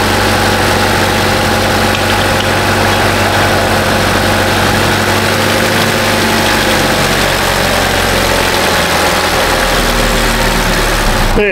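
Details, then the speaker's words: 2018 Chevrolet Trax 1.4 L turbo after water pump replacement and coolant bleed: steady idle with even hum, no squeal, grind or gurgle from the pump area; normal idle. "water pump on your 2018 chevrolet with the big luv 1.4 liter turbo that's the sound they make"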